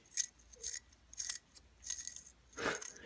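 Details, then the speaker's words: Dry idler pulley bearing spun by hand: short gritty rasping bursts, rough and dry; it still spins but has no grease and will become metal on metal. "it's it's pretty much just dry you can hear the grittiness so do they still spin yes but there's no grease or anything in there"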